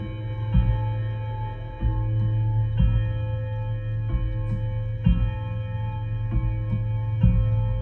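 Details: Vintage Art Deco mantel clock fitted with a standard Hermle movement: steady low chime tones at slow, even intervals, clear with no buzz or misfire, other shop clocks possibly audible; chime works properly.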